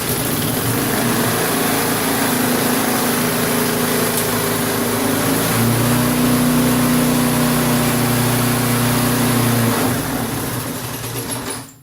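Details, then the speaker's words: Briggs & Stratton 3.5 HP lawnmower engine, an old mower that had been sitting, running after no-start repair: even, steady putter at one speed with no misses, knocks or surging, then winds down; runs good. "so I guess a little bead loc and it runs good"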